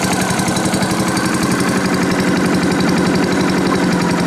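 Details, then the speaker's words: Challenge Xtreme 3.5 hp 4-stroke lawn mower on a nippy day, held with cable ties: a steady, fast, even firing beat with no knocking or tapping; the engine runs healthy. "Right, sounds alright really, doesn't it, eh? No knocking, no nothing, no tapping. Sounds nice."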